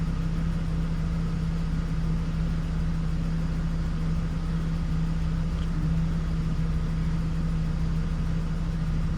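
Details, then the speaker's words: 2006 Hummer H3, engine still warming (about 138°F), idling: steady low idle with slightly uneven lumpy pulse, no knock or tick; rough idle and low-idle stalling complaint, dirty throttle body suspected. "customer complaint is that it they're experiencing rough idle and at times when they slow down or decrease speed, come to a red light or a stop sign, they notice that the idle gets so low"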